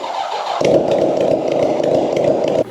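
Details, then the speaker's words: Starter motor removed from a 1970 American Eagle 750GT, bench-tested off a jump box: steady, even whir for about two seconds, then stops; sounds free and healthy, the starter works. "But good, so that starter works, which is awesome."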